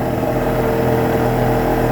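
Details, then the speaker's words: 1999 Yamaha LS 2000 jet boat, both two-stroke engines rebuilt with SBT cylinder exchange kits (burnt pistons) and cleaned carburetors, warming up at idle: steady, even buzzy drone with constant pitch, no misses or knocks. Normal running. "They both seem to be idling about the same. Tacks are usually pretty I love the sound of that."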